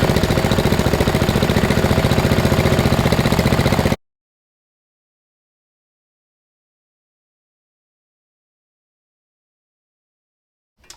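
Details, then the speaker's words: 2000 Murray LT1000 riding lawn mower, lowered with a custom exhaust and a new drive belt, tested up on blocks: an even, steady single-cylinder thump for about four seconds with no misses or knocks, then silence. It seems to be working fine. "right well I think that warrants a test drive it seems to be working all right"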